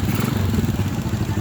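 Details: Rusi motorcycle that died when the lights were switched on, after the regulator was replaced: quick even putter with a steady low beat and no stumbling, idling normally.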